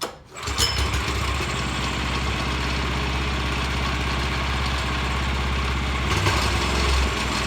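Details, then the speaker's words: Vanguard 9 hp single-cylinder tractor engine, final run after freeing sticking throttle lever with WD-40, starting on one pull: steady, even thrum holding speed without stumbling or misfiring, some vibration; runs normally. "shot some WD40 into this accelerator switch or accelerator or throttle lever freed it right up so now she runs good so here is the final final run one pull crew"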